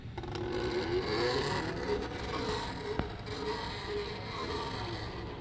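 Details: Continuous rasping, creaking scrape from a first-prototype 3D-printed PLA worm gear driven by a stepper motor (Arduino, A4988 driver); rough printed teeth, weak PLA and tolerance issues make it very noisy.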